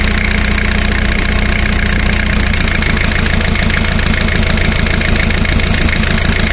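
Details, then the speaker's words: Four-cylinder diesel at fast idle, power balance test: the cylinder 1 high-pressure fuel line is loosened and the idle turns lumpier as rpm drops, then recovers when the line is refitted, so cylinder 1 is contributing normally. "let's listen to the changing rpm as i disconnect high pressure line coming to cylinder number one notice the drop in rpm let's put it back see there is a difference"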